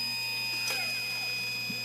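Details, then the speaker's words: Brand-new battery backup sump pump, failed after one day, running on battery with primary unplugged: steady motor hum and constant high whine, no knocking, yet no water moves out; pump runs but does not pump. "hopefully you can hear the pump running you can clearly see no water is moving out of the pump"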